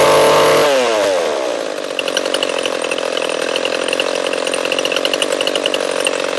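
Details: Echo CS-341 chainsaw, new carburetor fitted but still ran poorly, after carb high-speed tuning and new bar and chain: revs high and holds a steady clean buzz without sputtering; slight bog noted, healthy and properly tuned.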